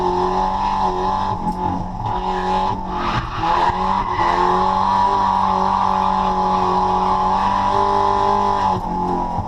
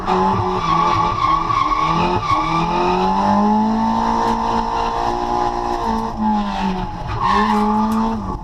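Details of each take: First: Nissan CA-engined drift car, freshly dyno tuned, on track: pulls hard with tyre squeal but sounds flat and breathy under boost after an intercooler pipe popped off; refitted with a new hose clamp. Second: Drift car after dyno retune (140 kW, about 200 hp) and new fuel pump, on track: engine pulls cleanly through rising and falling revs with tire squeal, no misfire or stumble; healthy engine under load.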